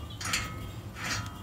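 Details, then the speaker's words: 2013 Ford Taurus SEL V6, removed rear wheel hub assembly spun by hand: dry, gritty rasp each turn; worn rear wheel bearing causing a tractor-like noise while driving. "Bearings are shot on that. It's really a safety issue."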